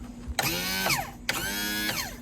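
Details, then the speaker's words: MerCruiser engine in a Stingray boat after carburetor, bracket, seal and trim adjustments: two short bursts of electric motor whine, each about half a second with slight pitch drop; power trim motor works normally from both buttons. "so it works on the button and also when we press that it works but other than that um we should be good to go"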